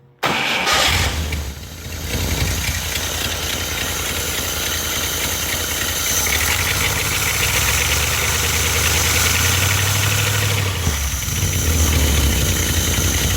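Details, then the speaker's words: 1945 Cadillac flathead V8 from M24 Chaffee tank on test stand with rebuilt 1945 GM Hydra-matic, cold, automatic choke fully closed, old muffler fitted: quick crank, fires at once, fast even cold idle, deep burble; starts and runs well. "we got an old uh muffler on there just to keep the noise down a bit she starts really well and runs really well this engine"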